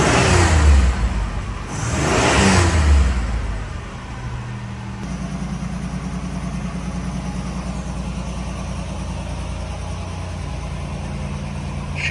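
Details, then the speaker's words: Stock 1987 Buick Grand National, 3.8 L turbo V6 (~115k on engine, 118k miles), auto overdrive: two quick clean blips, then steady even idle with no misfire or knock; healthy. "Now let's hear it run. The temperament is really good on the Grand National."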